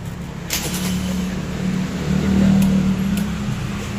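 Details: Honda PCX 150 starts and runs smoothly with a steady low beat, swelling with throttle, after a no-start was fixed by cleaning and tidying the ECU socket connector and wiring; battery being charged.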